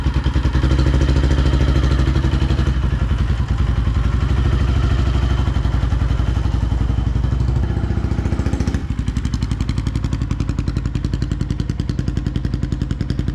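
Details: First start of a 2005 Polaris Predator 500 after restoration with rebuilt engine, test run with clutch and five gears plus reverse: even single-cylinder thump pulling cleanly through the revs with no knock or rattle, running right.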